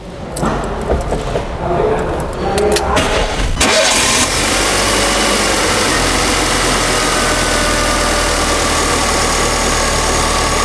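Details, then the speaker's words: Car at its 20,000 km service, started after work on noise from the two accessory belts: the starter cranks, then the engine settles into a steady, even idle with no belt squeal or chirp. The noise is gone; normal idle. "definitivamente. Agora sim, o barulho se foi, chefe."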